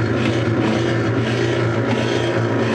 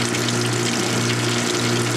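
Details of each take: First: Whirlpool direct-drive washer, about 1995, on spin cycle: steady low motor hum spinning freely while the drum does not turn; suspected broken motor coupler. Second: Whirlpool direct-drive washer in service since about 1993–1995, heavily worn, suspected broken motor coupler: steady low electric hum with water rushing through, even and unbroken, during spray rinse; the drain pump still runs normally and moves water out.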